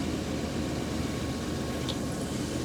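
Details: 1998 Ford Econoline E-350 5.4 after fixing no-start, fuel delivery, MAF and fuel trim problems and a stuck-open EGR valve: quiet even idle, soft steady hum, no knocks, misses or surges; normal idle.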